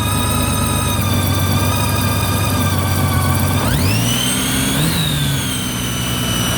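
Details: 2008 Honda Gold Wing GL1800: steady high whine over the idle that climbs sharply in pitch with a throttle blip, following engine speed; owner suspects alternator whine, source unconfirmed.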